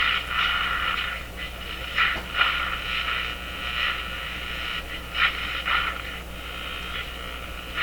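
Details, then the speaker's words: Zenith 6J05 tube radio after replacing the power supply filter capacitors: the hum is gone, leaving only a low steady hiss with crackle and swishing and no station received. "not receiving anything can you tell it's not nearly as noisy"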